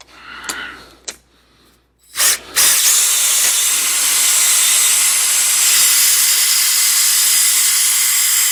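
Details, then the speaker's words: DIY rigid hone in a worn, tapered engine cylinder bore: steady high drill whine with hiss that slows and labours at the bottom of each stroke, drawing more in the tighter tapered section; before crosshatching. "You can hear how it slows down at the bottom. It draws more because of our taper."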